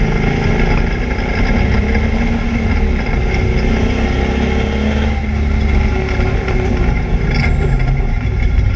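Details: ABR Camaro on misfire laps: loud, heavy engine roar at steady track speed with a rough, uneven note under load, an engine misfire of unknown cause.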